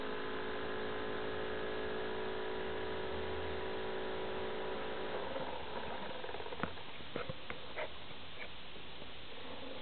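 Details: Acer Aspire 7730G laptop: steady, droning multi-tone fan whine fading after about five seconds to light ticking; an abnormally loud cooling fan, cause unknown.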